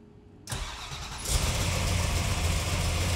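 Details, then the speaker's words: 1977 Ford Granada with a stroked 347ci small-block Ford. Cranks, catches and settles into a steady, even idle with a muted exhaust: normal idle, far quieter than before. "that glorious or what? That's like insanely quiet compared to what it was. That's street car level."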